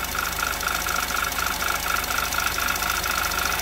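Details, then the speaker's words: 2011 Audi TT Quattro 2.0T TFSI first run after engine damage repair, cold chilly day, oil primed, oil maybe slightly overfilled: steady idle with crisp even tick three to four times a second; lifters getting noisy, cause unknown. "Lifters are getting a little noisy."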